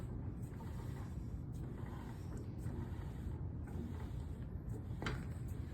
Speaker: firmly grasp the two pieces of canvas take it through and you're going to hear that clicking sound that's just the rollers doing their job